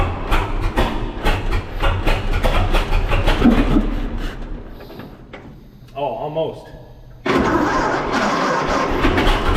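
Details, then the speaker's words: 1926 Seagrave ladder truck, 1013 cubic inch F engine, first start in at least 10 years after being given too much fuel: cranks and catches into a loose, lumpy run, then settles. Normal engine start and run. "wow there you go first start in 10 years and this thing's been sitting a long time"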